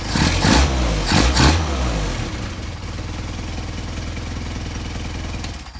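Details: Mercedes 190SL with Solex carburetors, warm, after balancing adjustment: a few crisp throttle blips falling back quickly to a steady even idle with no stumble; carbs tested well balanced.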